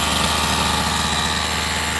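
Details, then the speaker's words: Rovan 45cc two-stroke in XLT RC after new clutch carrier and 8,000 clutch spring: fast, steady idle without the earlier shaking, much better than before; clutch possibly out of balance. "Everything seems to be okay. It's not shaking as much as before. Definitely way better than before."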